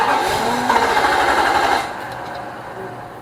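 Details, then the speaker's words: 2006 Nissan Armada 5.6 V8, first cold start after an engine swap: the starter cranks briefly and the engine catches for a moment, then dies without running. Fuel line, cam sensor, throttle body and injectors are connected; a bad crank sensor is suspected. "It hits off, but it won't crank up all the way, so almost like this thing's got a cam sensor on it. I mean a crank sensor."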